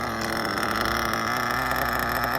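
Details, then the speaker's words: Mugen MBX5 1/8 nitro buggy, run after sitting 14 weeks put away wet, now tuned and low on fuel. It buzzes at a steady high pitch with no stumbling or surging and sounds good. The low-speed needle was set a full turn out to stop leaning out. "Sounded pretty good. I think we're there."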